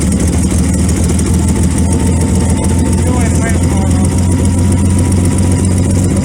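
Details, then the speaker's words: 1928 Franklin on its first start after 71 years off the road, timing being advanced: a low, lumpy idle with an uneven beat; rough running that the owner suspects is mostly from retarded timing. "I'll advance it a little bit more. I think that's most of our problem is our timing's retarded."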